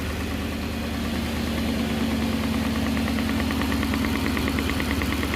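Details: 1969 Gloria supercharged V8, first proper start: steady idle with a regular knock about twice a second; sounds like a blown rod bearing but is the cam cover baffle slapping.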